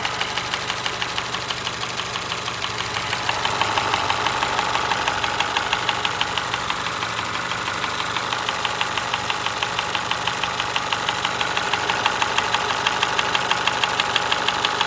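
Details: 2025 Honda HR-V engine ticking noise: fast, even light ticking over a smooth idle, steady rate without change; top-end tick, cause not clear.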